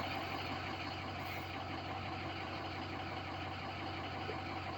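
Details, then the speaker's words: Diesel idling after replacing stand pipes, dummy plugs, IPR valve and STC fitting, reading about 29–30% and 580 PSI, VGT relearn not yet done. Quiet even idle but no turbo whine; cause unknown. It tends to die at about 3 miles. "Um, I mean, it it sounds all right other than I don't have my uh turbine sound. I mean, that's the only thing that concerns me is I don't have my turbine sound."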